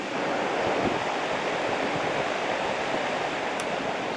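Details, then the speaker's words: 1960s GE window fan after cleaning and oiling, set to low speed: steady, even airflow whoosh with no ticking, rubbing or wobble; running smoothly. Motor output shaft flat is rounded off, and the motor still needs cleaning with compressed air. "Down to low. It seems like it's running pretty nicely now."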